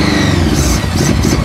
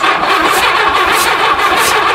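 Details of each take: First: 1982 Honda Goldwing GL1100 flat-four barn find, first run after sitting 20 years, float bowl stuck: smooth, even, whirring idle with no knocks or misses; engine runs healthy. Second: 1982 Honda Goldwing GL1100 barn find, sat 20 years, carb cleaner sprayed into one cylinder while cranking: hissy churn with soft puffs and no firing as the cylinder spits the spray back out; valve stuck open.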